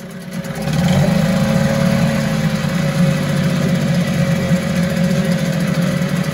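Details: 1974 Mercury 4 hp single-cylinder two-stroke outboard with Thunderbolt ignition, warm restart without choke after sitting 45 minutes: smooth, even, steady buzz with no misses or knocks; runs like a top, normal running.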